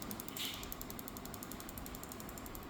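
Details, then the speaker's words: Asus FX516P laptop: steady fan whoosh with fast even ratcheting rattle, loudest on the GPU-side fan; machine running hot (GPU 60–70°C); both CPU and GPU fans replaced as a pair. "AsusนะครับFX516Pเสียงพัดลมดังนะครับนี่ดังชัดเจนเลยนะครับรุ่นนี้ต้องเปลี่ยนยกคู่นะครับ"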